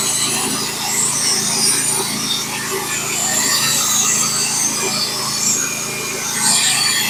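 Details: Norwood HD36v2 bandsaw mill with a Stellicut band, cutting 1x6 fence boards: a steady hissing rasp of the band through the wood over an even engine drone, with no chatter or bogging; a clean, healthy cut.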